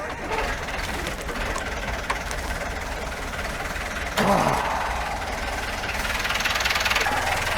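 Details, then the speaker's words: Formosa 41 sailboat diesel at idle, heard over water and hull noise: steady, even idle with a soft regular beat, no knocks or misses, runs smooth; alternator not yet charging at idle, owner thinks it needs throttling up. "Purrs like a kitten. What's that? Purrs like a kitten."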